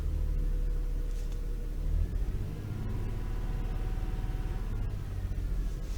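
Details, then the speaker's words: Toyota 3.0L/3.3L V6 shaking badly with steering-wheel vibration and flashing check engine light: low, lumpy rumble with uneven thumps; misfire from faulty VVT-i oil control valve, cleaning failed, fixed by replacing it. "shaking really bad. I can feel the vibration on the steering"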